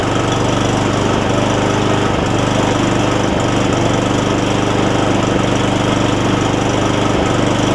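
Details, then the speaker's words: Cub Cadet SR621 push mower with a Kawasaki engine, after a replacement carburetor with built-in primer bulb was fitted: a steady single-cylinder chug with only slight unevenness and no knocking. It runs pretty good after sitting unused a while (rust smell); the shut-off is wonky. "Seems like it runs pretty good."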